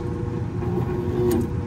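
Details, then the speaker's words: York rooftop unit inducer motor with rusted fan assembly and failed control board: steady electrical hum with no fan spin-up, motor trying but unable to turn; seized inducer motor. "moving that manually and you know you can hear the motor trying to move it but it won't move"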